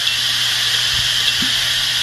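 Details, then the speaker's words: Working hard drive with its head jumping between tracks: steady high hiss of the spinning platters with a few soft pops at each jump, the normal sound of a drive writing data. "so as it jumps around contextual crack it does make a little sort of a pop"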